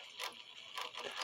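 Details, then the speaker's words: Regula 701 one-day cuckoo clock movement, governor with fan blades removed, after polishing its pivot and adding a drop of oil: light, fast whirring and soft ticking, spinning freely with no noise. The governor had been making a noise before. "It just speeds really fast because I got the fan blades off. So I'm thinking that this pivot needs polished."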